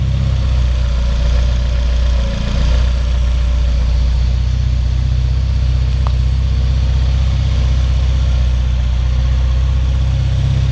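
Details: 1994 Civic EG K20-swap race car after fuel-leak fix, 4-1 header and full 3-inch custom exhaust: deep steady idle through loud free-flowing exhaust, smooth and even with no stumble; healthy four-cylinder idle.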